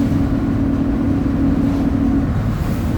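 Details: 2007 Torino bus on a Mercedes-Benz OF 1722M chassis at high revs while cruising: a steady low whine over the drivetrain roar holding pitch for a couple of seconds; the differential is howling.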